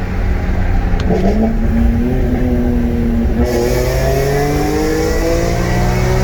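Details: BMW E46 M3 (S54) at 139k miles, on a test drive after a water pump and cooling-system overhaul with no overheating so far: a smooth, even pull with a clean rising note and no misses, knocks or hiss. Healthy engine under acceleration.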